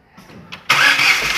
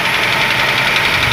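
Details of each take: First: Ford Ka three-cylinder after a rebuild with new pistons, a cleaned pump and timing set: it catches at once and settles into an even, quiet idle with no ticking or knocking. Normal start and idle. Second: Ford Ka three-cylinder engine: fast, light ticking clatter over the idle while the gauge shows low oil pressure; a faulty oil pump is suspected. Valvetrain clatter from low oil pressure.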